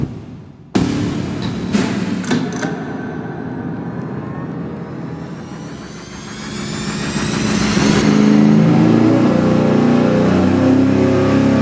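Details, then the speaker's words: V8 on an engine dyno at wide-open throttle with only 11 degrees total ignition timing instead of the 35–36 wanted, about 9.3:1 air-fuel: slow climb, dull flat note and bogging under load; ignition timing badly retarded. "This is literally the engine struggling to get through the fuel."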